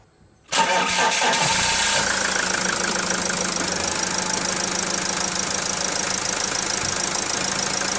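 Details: Peugeot Boxer/Citroën Jumper/Fiat Ducato 3.0 Iveco van after repairing a water-damaged throttle body connection (code P0638): cranks and catches instantly, then settles to a steady, even idle with no stumbling or shudder.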